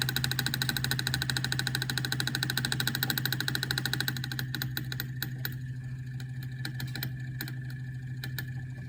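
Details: Bad Delphi EGR valve, only a few months old, setting P0404, commanded with a scanner at idle. Fast, even ticking chatter sits over the idle and fades partway through; the pintle position is erratic. Fix: replace the EGR valve.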